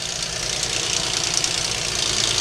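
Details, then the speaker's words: 2.7L all-aluminum V6 with sludge from oil changes skipped by its owner, torn down for insurance: loud, fast, even light ticking over a busy top end; sounds like valve train noise, sludge found under the valve covers. "it sounds like val train noise so i should see some valve train problems"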